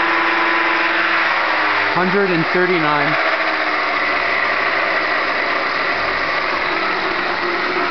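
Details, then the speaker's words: Hub motor spun up unloaded on a knockoff E-Crazyman controller at 133 VDC, ungoverned: steady, gritty, rough whirring roar over a high whine; the motor came with a very bad bearing. "I have a very bad bearing in this motor you guys will hear when I spin it up but the motor I got it like that so here we go"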